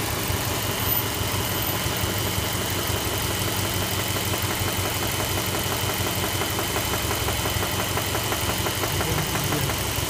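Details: Subaru Legacy B4 RSK with EJ208 flat-four at idle. A light, regular engine knock, about twice a second, sits over the burble; the source is not pinned down.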